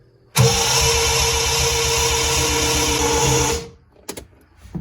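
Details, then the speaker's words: 1975 Triumph TR6 freshly rebuilt engine, ignition disconnected: fast, even, light cranking with no labouring on any cylinder, as if no compression; camshaft timing set wrong, re-degreed afterward. "why is it cranking as if there's no compression"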